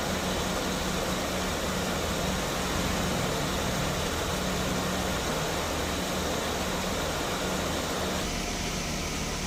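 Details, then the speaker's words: Mercedes-Benz S280 at idle after A/C repair (new refrigerant hose, drier, compressor oil), compressor previously noisy: steady fan rush and low hum, no knock or grind, vents about 5°C in 33–34°C afternoon heat; A/C running normally. "เย็นในรบคุณภูมิช่วงบ่ายนะที่เราเติมน้ำยาตอนนี้ก็3334องศาในรถเย็นได้5องศาทั้งซ้ายขวานะครับอ่าม.คมีเสียงการทำงานปกติทุกอย่างนะครับ"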